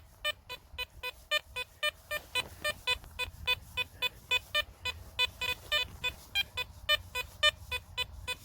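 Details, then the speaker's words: Garrett Apex metal detector in a field with sensitivity set low, over a buried target: repeated bright chirping beeps about twice a second, slightly uneven, faint hiss between; still a strong signal with no chatter. "check that signal out that's a pretty brilliant signal with the sensitivity set low"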